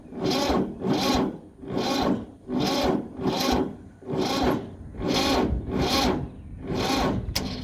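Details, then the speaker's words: Ford 2600 diesel tractor, first start in years with injectors loosened for bleeding, on a second battery: slow, labouring crank with a heavy compression push about every 0.8 s; owner blames weak battery or dragging clutch, later found the clutch stuck. "battery just don't have enough strength though"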